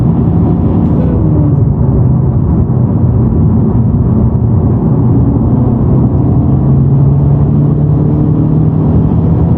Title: Honda Civic Type R buzzing sound when clutch depressed